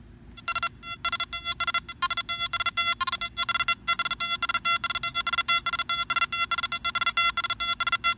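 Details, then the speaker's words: Nokta Makro Anfibio metal detector swept over coins moved a little closer together: quick separate high-pitched beeps, each target answering on its own; good multiple-target separation. "Wow so you know there's you know there's multiple targets right there together you swing over and you're like whoa there's more than one thing there you're right there is"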